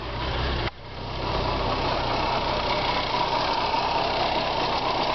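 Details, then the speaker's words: Car started for the first time in 4 years, after a new fuel pressure regulator, new spark plugs and an oil change; it had smoked earlier and the fuel filler neck leaks. A steady, even idle after a brief dip, sounding better than before. "does sound better than it did before the last time i started it"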